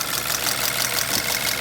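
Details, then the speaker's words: Engine with P0017 cam/crank correlation code, after replacing timing tensioner, at idle: busy light ticking clatter from top end persists, no check engine light; cause not pinned down. "so as you can hear it's still noisy i think it's coming from our top end"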